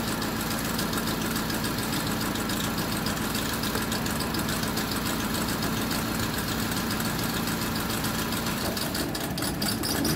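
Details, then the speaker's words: Honda with check engine light and ignition coil primary/secondary circuit code: petrol engine idles unevenly with irregular stumble and knock; misfire from one failed ignition coil. "Okay sira yung isang ignition coil try muna natin to"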